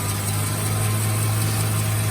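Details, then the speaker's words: Suzuki Karimun Kotak started cold after clutch and clutch bearing replacement. Steady low idle hum with no chain-like rattle from the engine–transmission area; that noise was traced to the clutch bearing and is now gone. Normal idle. "tapi bagian mesin sini udah beres nih teman-teman Hai suaranya udah hilang"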